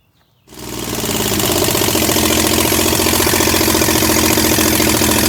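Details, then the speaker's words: Chevy 307 small-block V8 in a 1965 C10, first start in 20+ years, no exhaust manifolds fitted: catches and settles into a loud, lumpy, uneven idle with open-port crackle; ignition timing incorrect, later fixed. "And there was a little bit of mistakes going on, but we got it fixed. Timing wasn't right, as you can see, but we fixed that."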